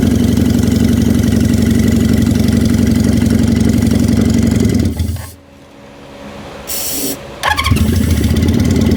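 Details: 1973 Honda CB350 Four after float work, sticky throttle: steady even idle with a quick stall and restart, then settles to a smooth regular beat; running properly.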